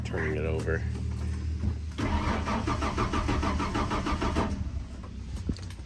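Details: 1994 Ford F150 cranks steadily at about three beats a second but never catches during a fuel pressure check; air filter looked clean, and fuel pump, clogged fuel filter or faulty gauge suspected: cranks, no start.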